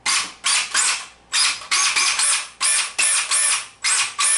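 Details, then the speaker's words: RC car slipper clutch set very loose, spur gear or wheels held while throttle is blipped: repeated sharp high-pitched whirring bursts as the clutch slips instead of transmitting power; hearing this often while driving means the clutch is too loose. "C'est facile à détecter là, pendant que vous roulez. Si vous entendez ce bruit-là trop souvent, c'est parce que votre clutch est trop lousse."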